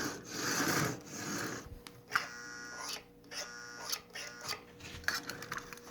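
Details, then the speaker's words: Marx 595 toy locomotive, unrun for decades, oxidized, on track power: thin electric buzz and faint clicking as the E-unit reversing unit cycles, no motor hum; motor not running, dirty armature. "nothing happens at all you can hear the e unit cycling that's a good sign"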